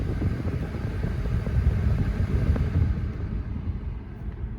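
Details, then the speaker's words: 2002 GMC Yukon 5.3 L blower motor at max air, after cleaning rodent debris from the fan and fitting new cabin filters: steady low airy rush, no rattle or vibration; previously loud roar fixed. "much much quieter a lot quieter in fact i'd say that's operating probably just how it should i don't hear any any kind of vibration or any kind of you know racket like we were hearing before"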